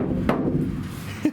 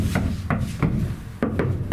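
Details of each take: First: Iveco Daily ex-fridge van camper conversion: the bare roof panel is tapped before butyl sound deadening. Sharp taps leave a hollow, gong-like ring lingering after each hit; the undamped panel resonates. Some roof panels have come loose and need rebonding. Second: Iveco Daily ex-fridge van camper conversion: side panels knuckle-tapped after butyl sound deadener was installed, as a comparison. Short, dull thuds with no ringing afterward, a massive difference: the panels are well deadened.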